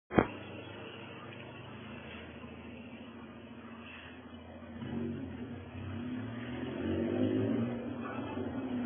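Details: Fiat Uno Fire with a blown exhaust: rough, raspy engine drone growing louder and coarser as it's revved.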